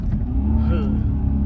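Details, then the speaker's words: Dodge Charger R/T Hemi V8 while driving: steady mid-pitched whine riding over the low rumble; whine source not pinned down. "Like, y'all heard that whine? Y'all heard the whine? Oh my, my shit just whine."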